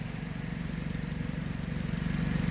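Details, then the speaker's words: Dodge Journey, fairly loud when first started, AC on; exhaust leak at a broken clamp on an aftermarket catalytic converter, pressure felt escaping. Rapid, even puffing chuff over a low idle rumble. "All right, so let's see. Looky, oh, it is an exhaust leak."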